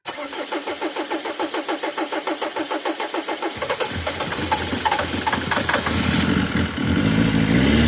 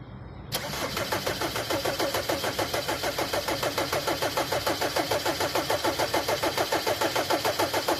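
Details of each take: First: Mercedes Vito diesel with hard-starting complaint: even cranking about three pulses per second for three seconds, then catches promptly and settles into a steady run. Normal start and idle. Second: Mercedes Vito hard to start; starter cranks steadily about three and a half times a second for nearly eight seconds without catching: hard starting, long crank.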